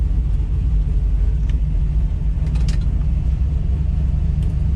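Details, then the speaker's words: 1971 Chevy Nova, LS swap, running after installing a Tanks Inc. EFI tank with a 450 lph in-tank pump to replace a loud external pump: only a steady, even low engine rumble with no pump whine; the pump runs quiet. "I don't think I can hear the fuel pump at all. It's much quieter in here."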